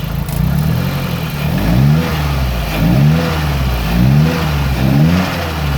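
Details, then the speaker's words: Nissan 180SX with a CA18DET turbo petrol engine, blipped about once a second: deep rod knock under the revs from a spun bearing on cylinder number 4, with a scratched, copper-showing crank. "Number 4 was knocking, and as you can see, I don't know if you can see, right there's a scratch."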